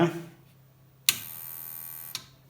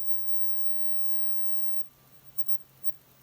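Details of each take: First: Must PW1800 inverter switched on after repair of failed transistors: sharp thump then a steady high buzzing hum for about a second with high current draw, pointing to an auxiliary supply fault, an additional problem beyond the repair. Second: Must PW1800 inverter after transistor repair, idling warmed up on a 13 V battery: only a quiet, low, even hum, and the whistle heard earlier has smoothly disappeared; normal inverter idle with no whine.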